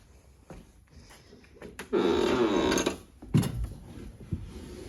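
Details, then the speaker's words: 1999-2004 Ford Mustang GT, key on after replacing blown PCM fuse (shorted radio interference capacitor lead); about one-second electric hum of the fuel pump priming normally, before the car then starts. "when I plug in the good fuse I hear my uh my fuel pump kick on"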